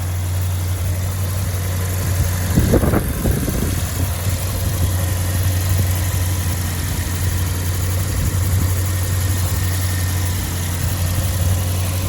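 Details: Peugeot 205 GTi 1.9, warm, mic under the bonnet: smooth, steady low hum with a brief disturbance near three seconds. A whine from about 30 s after start-up, suspected fuel pump under the car, isn't heard here. Normal warm idle.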